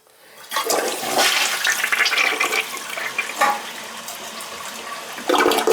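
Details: Round-front toilet, possibly 1.6 or 3.5 gallons, after a new flapper and a tightened packing nut on the fill valve: strong rushing swirl for about five seconds, then a fresh surge as the bowl refills; a clean, full flush.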